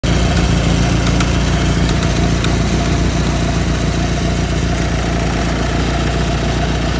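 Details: 1991 Ford Tempo/Topaz idling with an uneven chatter over the steady note, from a failing belt tensioner, idler pulley and water pump.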